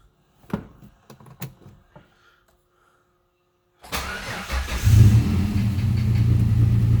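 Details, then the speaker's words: Turbo V6 Mustang with years of stalling and a check engine light, just after oxygen sensor replacement and keep-alive memory reset: clicks, then lumpy, uneven idle; air/fuel ratio messy, cause not found. "see if it idles and smoother here you can see my air/fuel ratio it's kind of a mass at idle so it doesn't seem like it's helping much here"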